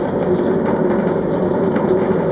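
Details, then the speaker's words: Candy GCC 590 9 kg tumble dryer: motor only hums when switched on, but once carefully started by hand it runs with a steady hum. The owner suspects the capacitor; not confirmed. "it now hums what I'm going to do very carefully give it a start and it works"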